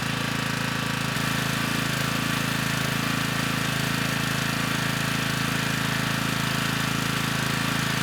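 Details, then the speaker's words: Generac 3500 W generator, GN220 single-cylinder engine, after broken carburetor jet was replaced: even, fixed-pace thumping with no surging or hunting; started with choke off, reached speed, little smoke, running healthy. "this time it started right up with the choke off you know likely there was still some fuel in the cylinder from the last time we ran it with the broken jet you know but this time the engine got right up to speed"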